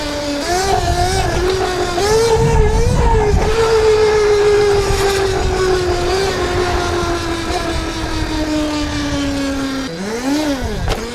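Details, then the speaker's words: ETM RTR electric motorcycle just fitted with a Revolver Alpha upgrade motor and 420 chain, tuned, on its first test ride. Loud whine that climbs with throttle and sags off, with a metallic edge over the drive. Metallic whine under throttle; cause unclear. "That is a crazy sound. I don't know if I like it. It's not very confidence inducing. That right there, that like kind of metallic sound."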